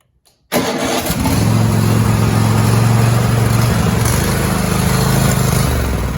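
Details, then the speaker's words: Cub Cadet XT2 SLX tractor with Kohler KT735 engine, started after throttle cable replacement, throttle at half: push-button start fires quickly, then runs with an uneven, lumpy low beat; sounds rough, cause unconfirmed. "Okay, so it didn't sound all that great, but it"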